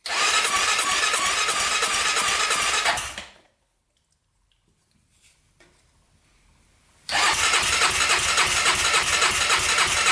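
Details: 1999 Honda 400ex quad with newly fitted oil-cooled turbo, brief first start on choke with fuel sprayed in: runs hard about three seconds then cuts out; not drawing fuel, owner suspects air leaks or turbo issue.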